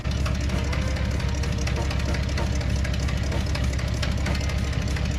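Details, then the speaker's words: Van with newly fitted true dual exhaust and Flowmaster FX mufflers, one tailpipe missing: loud low idle with uneven clapping about twice a second; leak found on driver side, manifold gasket also suspected. "Can't tell if it's leaking. You hear that clapping because the one tailpipe's missing."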